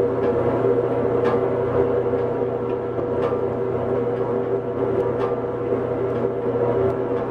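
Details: Hobart 4346 commercial meat mixer-grinder, one-owner, dealer-serviced, on three-phase via converter, running mix and grind with paddles turning; steady mid-pitched motor hum with light regular ticking, no grinding or knocking; sounds healthy.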